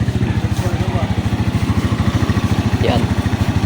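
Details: Rusi 125/150/175 motorcycle, kick-started, with a drained battery and a suspected lack of supply from the regulator's red wire. A steady single-cylinder idle thumps two to three times a second before the engine dies when the fuse is pulled. Normal running before the stall.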